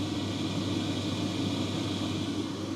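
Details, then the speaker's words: Electrolux/Simpson/Westinghouse clothes dryer after the blower fan was replaced: steady, even airy hum and smooth drone with no rattle or scraping; running normally, lint blowing from the exhaust. "You can hear there's none of that fan noise."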